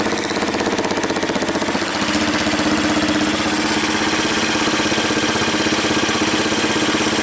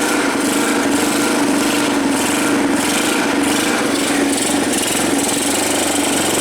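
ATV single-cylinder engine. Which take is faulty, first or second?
second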